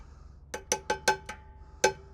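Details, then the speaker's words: Truck drum brake just adjusted with a 14 socket, tightened fully then backed off 1/4 turn after being well out of adjustment; six hammer taps ring clear and hollow with no dull thud, so the brake is released, normal. "It has to have a hollow sound, which means it's going to be released."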